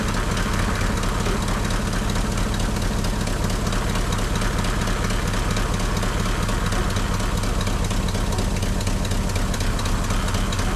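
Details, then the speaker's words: Lexus 1UZ-FE V8 swapped into Jeep KJ, temporary exhaust with likely leaking manifold gaskets; deep, slightly lumpy, uneven idle that won't rev like before; owner suspects fuel starvation or a vacuum line, unsure. "And then also I've got a small idle issue on this. I think it's a fuel starvation, or maybe I've got no idea, maybe a vacuum line, because it just won't rev up like it used to and it won't idle nice."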